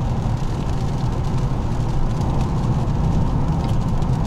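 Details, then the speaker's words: 2002 Lexus LS 430, 312,000 km, driving after timing belt replacement: steady deep rumble, no knocks or whine, louder once the road changes to coarse-grain asphalt; ordinary tire road noise, tires believed noisy. "Поменялось покрытие асфальтное. Шум усилился, то есть крупнозерновой асфальт."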